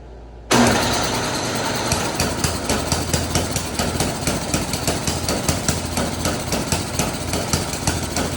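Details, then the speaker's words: Snowblower after a no-start fix with the carburetor cleaned and reinstalled, started with a makeshift key: catches on the first pull and settles into a steady, even fast putter with no misses; normal start and idle. "Okay guys, so she's all back together. We're gonna use our new makeshift key and see if she fires up."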